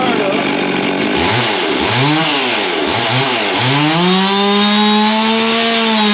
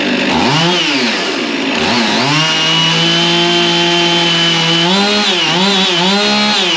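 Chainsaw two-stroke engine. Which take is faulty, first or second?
first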